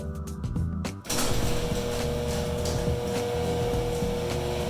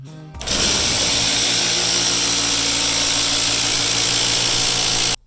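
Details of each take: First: Genie IntelliCode screw-drive garage door opener after replacing a stripped carriage and lubricating the screw rail. It starts and runs with a steady, even motor hum, no grinding, over background music: normal operation. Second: Genie Intellicode screw-drive garage door opener: loud, harsh, steady grinding roar when operated by remote; the carriage (black piece with silver arm the rope attaches to) has stripped internal teeth and needs replacing.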